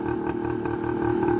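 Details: 1980 Suzuki TS125 two-stroke after an ultrasonic carburetor clean, just started on choke: steady, crisp idle with an even popping beat and no knocks or misses, purring; normal two-stroke idle.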